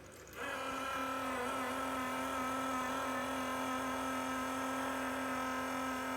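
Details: Enermax Liqmax III liquid CPU cooler pump failing after 9 months on a non-overclocked Intel 10600K: loud steady whirring with a strong tone near 250 Hz and higher whine.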